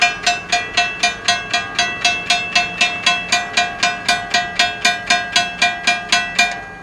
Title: A *BROKEN* crossing signal bell that sounds like a COW BELL